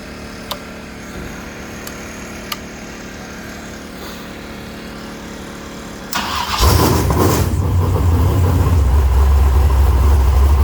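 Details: Race V8 started after guide plates were corrected: loud, heavy idle with an uneven, stumbling misfire beat caused by a broken camshaft.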